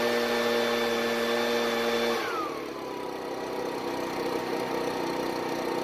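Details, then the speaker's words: Ryobi backpack two-stroke blower, warmed up on fresh store premix, before carburetor adjustment: a thin high tone falls away and settles lower with uneven running underneath. Engine not reaching full RPM. "However, on this particular unit, it's probably doing about 300 CFM because it's not getting to full speed, which is our main problem."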